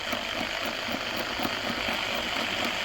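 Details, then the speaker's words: Rebuilt pre-war car dynamo spun by a 2800 rpm electric drill, giving a gritty high-pitched rush with a raspy hiss from a noisy bearing; it produces only a tiny voltage, too little. "you can hear the noisy bearing so i get a tiny voltage"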